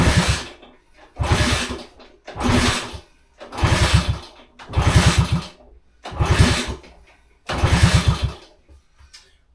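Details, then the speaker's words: 1966 Honda C200, off road since 1972, kickstarting on full choke, no throttle: repeated short low thumps about one a second that don't catch; fails to start, fuel suspected not getting through. "Give it a full choke. Definitely sounds better than before."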